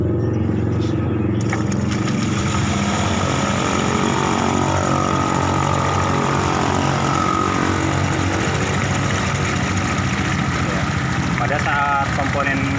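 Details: Fuel-injected scooter idling with the CVT cover still fitted: uneven, gritty rumble with a ragged beat. Rough engine noise at idle, not yet pinned to engine or CVT.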